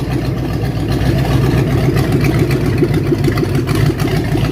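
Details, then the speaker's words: 1967 Mustang V8 with mild cam, fired up with new cooling system being fitted: deep steady idle with slight rhythmic lope, about four pulses a second, no knocks; healthy engine. "Listen to that. It's got a mild cam in it. Well, I'm impressed."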